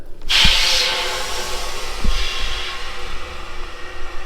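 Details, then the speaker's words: Maple sap vacuum system, pump started for the season at the releaser with woods section valves opened: sharp rush of hissing air, then fainter steady hiss with dull thumps; air leaking into the vacuum lines. "definitely got leaks I can hear air inside the releaser"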